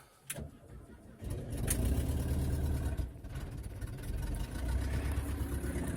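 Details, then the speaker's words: 1978 Volkswagen bus air-cooled engine, very cold, with leaking valve covers: brief crank, catches about a second in and settles into a steady, even rumble, then revved to warm up; starts and runs fine cold. "So she runs. Happy little bus. Fire up some RPMs. Get it warmed up a little bit."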